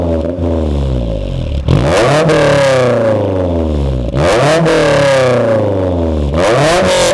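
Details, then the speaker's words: 2004 Honda S2000 phase 1.5 with aftermarket exhaust, revved in repeated blips; booming trumpet-like drone between 3000 and 4000 rpm and again at 7000 rpm, VTEC engaging at 6000: exhaust drone. "Donc voilà, donc sur la ligne, on a un drone entre 3 et 4000 tours. Un drone, c'est quoi? C'est comme une trompette. Et un autre à 7000 tours."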